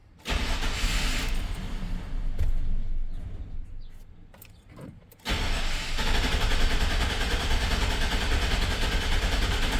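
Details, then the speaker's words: 1999 GMC Sierra with 261,000 miles, misfiring on both banks, cranking: a steady, even beat of about three per second with no dragging or uneven strokes, then it fires; compression sounds balanced. Misfires were traced to a leaking intake manifold gasket. "No, sounds good. Let me do a relative compression and see what it looks like."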